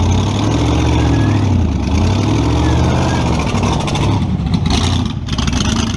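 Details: Model A with a 350 small-block Chevy (hydraulic roller cam, 9:1), tunnel ram with two Edelbrock 600 cfm carbs jetted lean, in a driveway test: loud V8 revs hard, then sags and breaks up unevenly at full throttle; owner unsure if rich or lean.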